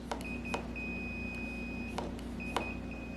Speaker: It's going to beep until we program the controller with the motor, but you can see it just shows the number 2 right now, and if I give it throttle, nothing happens.